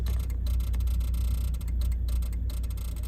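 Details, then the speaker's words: Suzuki Grand Vitara idling: rapid, uneven relay clicking near the glovebox and 4WD lamps flickering, only with the engine running; suspected ignition (plugs/coils) interference on the electronics. "реле постійно і воно відбувається тільки на заведено і в мене є одна ідея зараз буду перевіряти ідея полягає в тому що в нас свічки запалення або котушки Ну короче високовольтна частина дає наводку на Електроніку і від цього вона трошки дуріє"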